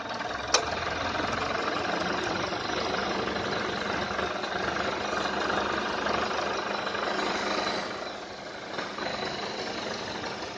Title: AC compressor loud noise , kick in cut off too frequent